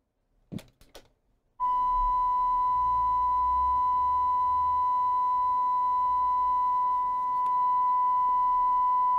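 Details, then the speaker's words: Coomber 393 language-teaching cassette recorder, tape speed adjusted via screw using a test tape: clean steady 1 kHz tone holding pitch after a couple of clicks; correct tape speed. "okay I'm gonna I'm gonna be happy with one kilohertz that's pretty much good enough for me so that's the way I adjust the tape speed on a cassette"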